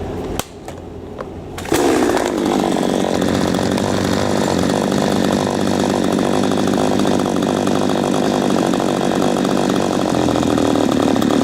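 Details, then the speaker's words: P1PE P6220C chainsaw with idle speed screw backed off about half a turn: fires up on a steady buzzing note, revs fine, but idle set too low so it won't hold tick-over and stalls when throttle is released. "when your rabbit in that form will have you revs up fine when you let go of the throttle it'll stall out"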